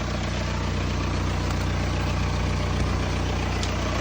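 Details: VW TDI diesel after intake manifold and EGR valve cleaning, idling: smooth, steady idle with an even low thrum at about 200 beats a minute, no stumble or knock; runs healthy.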